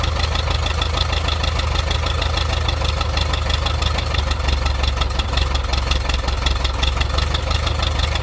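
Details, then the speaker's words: 1.7-litre VW Type 4 air-cooled engine at idle with a faint, fairly regular tapping knock riding on it; source undetermined. "Alright, so I'm hearing a knocking sound in this 1.7 liter Volkswagen motor."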